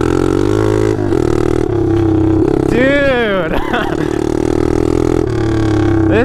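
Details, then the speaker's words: Taotao DB17 125 pit bike running straight-piped with no exhaust: loud, raw, unmuffled blatting bark swooping up and down with throttle; rider says it sounds amazing but fears breaking the motor. "dude this thing is freaking crazy now i can't turn from my life dude"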